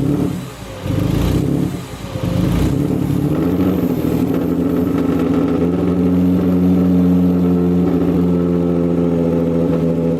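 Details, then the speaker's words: Ford Mustang 3.7 V6 with a newly fitted supercharger kit and intercooler, first run: loud steady whine over the exhaust rumble, like an airplane taking off, with a nice idle. Owner wonders if the belt is too tight. Supercharger whine. "i don't know if we had fans or not but we're gonna we'll deal with that sounds like a damn airplane about to take off booster the moon that was sick"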